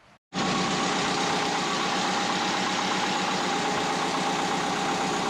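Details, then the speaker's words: Twin-turbo Subaru Forester, after fixing fouled spark plugs that caused misfiring, catches and settles into a steady, even idle with no stumble or miss; normal idle, with separately suspected low-rpm compressor surge under boost. "it seemed like it was coming on pretty pretty smooth right that's good we made some progress we figured out what the issue was it was fouled up spark plugs"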